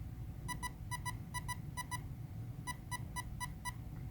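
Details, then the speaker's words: Castle Creations ESC in manual programming: evenly repeating paired short high beeps over a low hum signal the motor-type menu (H: five beeps), where brushless is the default option and is selected for the brushless motor in use. "beeps is indicating the motor type brushless is default and because we are using brushless in this case we will select that as our default"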